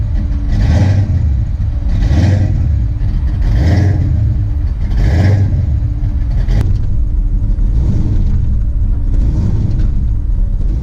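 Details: Ford Mustang Foxbody, big cam, first start after checks: idle rises and falls every 1.5 seconds, settles then hunts; TPS adjusted, timing reset at top dead center planned — surging idle.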